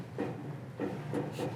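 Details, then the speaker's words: 1966 Ford Mustang, 289 V8 2-barrel, 3-speed automatic: sharp clicks about every third of a second with only faint thin buzz; horn relay sounds like it works but horn itself seems to need work. "Sounds like the horn relay works, but it needs a little work to the horn itself."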